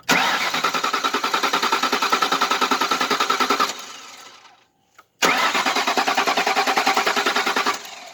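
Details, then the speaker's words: 2001 Lincoln Town Car with a battery that died and is on a 2-amp charger: two bursts of fast, even cranking at about three beats a second, and it never catches. Clicking was heard; the owner suspects the fuel pump, possibly a fuse, unconfirmed. "it's still not starting but it might be a fuse i'm not sure but i heard it clicking so i have a feeling it's pump"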